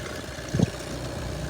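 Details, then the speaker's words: Idle of a 12/2014 VW Golf 1.6 TDI diesel (81 kW): low, steady, even beat with no puffing or knocks; crankcase only steams from condensate, no compression blow-by, engine dry top and bottom — normal, flawless idle. "це нормальна ситуація для 1.6 мотора Мотор працює бездоганно помовчу послухайте жодних проблем мотор сухий знизу і зверху"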